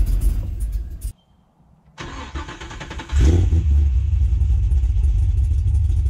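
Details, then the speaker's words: Abandoned Cadillac CTS-V with an LS V8, first start in person after fitting a battery: cranks and catches, then settles into a lumpy low idle about four beats a second and shuts off; the fuel pump is to be primed again. "wow fires right up she's idling a little bit low"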